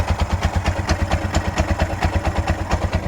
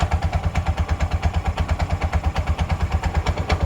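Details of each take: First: Freshly fitted Bajaj auto rickshaw 205cc engine: lumpy idle with sharp puffing chuffs about twice a second and light tapping clatter; tappets are loose and the cracked silencer is not yet welded, and the owner suspects the fan cover is touching. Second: Bajaj auto rickshaw 205cc engine after welding, idling with the clutch pressed: a steady, even putter with no noise or rattles; any slight clutch bell sound is normal.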